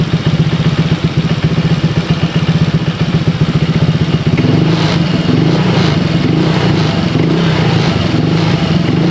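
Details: Honda Vario 150 keyless scooter after a no-start repair, fuel pressure normal at about 40, radiator refilled: even, quick idle pulse of about four beats a second, settling smoothly with no knock; normal idle.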